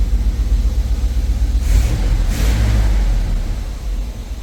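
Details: 1980 Chevrolet Scottsdale V8 pickup, parked 26 years, warmed up after running 10–15+ minutes: deep, steady low rumble with an even beat, no knocks, misses or smoke; normal warm idle.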